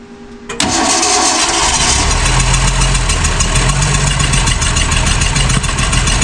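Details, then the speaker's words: 1966 Ford Mustang 6-cylinder barn find, not run in 40 years: starter turns at a steady rate with a few ragged catches, nearly runs but dies; an open vacuum port is later found, thought to starve the carb of suction. "I'm going to try it without The Ether once go ahead again okay hold up let me hit it a little bit is the starter hot go ahead oh she's so close"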